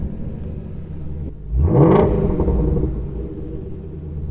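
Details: Salvage Ford Mustang GT350 at auction, warmed up about five minutes, active exhaust being toggled: quick blip climbs smoothly then settles to a deep burble, no mechanical noise; normal rev.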